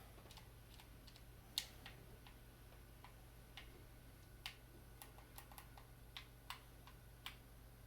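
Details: Xbox One Halo 5 controller after d-pad repair (bending the metal piece under the pad): crisp, separate clicks over quiet room hum; the bottom d-pad click that was missing before is back, and all buttons work.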